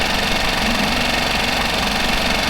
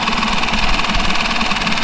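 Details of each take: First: Mercury 5 hp four-stroke outboard holding a steady idle with fast even chatter after a fuel pump replacement meant to cure loud ticking after submersion; the decibel meter showed slightly less noise. Normal idle. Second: Mercury 5 hp four-stroke outboard that had been submerged, running before its fuel pump is replaced, with 50–60 dB background noise: a fast, loud tick over a steady engine note. The fuel pump is suspected, not proven.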